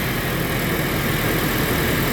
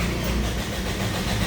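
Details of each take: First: Toyota Innova gasoline, restarted after fixing crank-no-start: fires and holds a steady even idle under heavy hiss, no stumbling or misses; runs normally. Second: Toyota Innova gasoline engine with no dash lights at key-on: steady, even starter churning that never catches or picks up speed; cranks but won't start.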